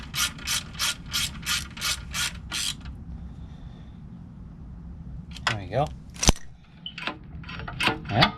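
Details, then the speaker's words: Mighty Moto minibike with a newly fitted pull-start recoil cover over a billet flywheel, replaced after off-road damage; quick sharp ratcheting clicks, about three a second, then scraping pulls as the starter pawls catch and release cleanly. "Yeah, it engages. Check it out. That looks really nice."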